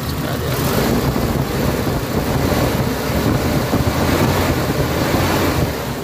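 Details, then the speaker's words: Mitsubishi Adventure gasoline 4G63 that sat for months with an electrical no-start (overheating history undisclosed, ECM glitching) now idles with a steady, even rumble, no misfire or ticking; normal idle after repair. "Okay. Swabe ang andar guys. Panalo natin."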